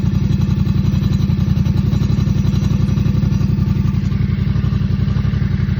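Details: 2024 Yamaha MT07 at idle: steady fast clattering tick about four per second, rattle of unknown source.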